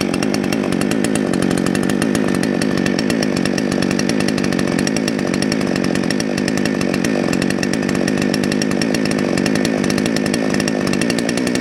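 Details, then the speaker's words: Salem Master chainsaw during carburetor adjustment: bright, fast two-stroke buzz holding high and steady at idle with the chain creeping; low-speed jet leaned out too far, costing top end. "thank you uh okay if you noticed when i leaned it out a little too far it sounds like sun's getting really happy but actually it won't have as much top end and you notice the chain started to move that's not where you want your idle"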